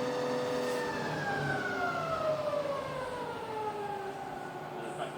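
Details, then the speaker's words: Rebuilt Bridgeport milling machine slowing from 1,000 to 550 RPM: quiet, smooth spindle hum with clean gear tones drifting lower, no grinding or rattle; normal running. "back down to 1,000 RPM. Oh, and then back to 550. Lovely and quiet and smooth."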